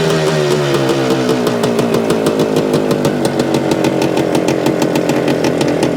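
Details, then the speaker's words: 1975 Suzuki TS-250 two-stroke, running after stator rewire and coil ground repair, exact cause unsure; idle set a little over base. Fast, even idle, crisp steady firing, no misses or surging; sounds healthy. "here is our targeting at an idle a little over aisle"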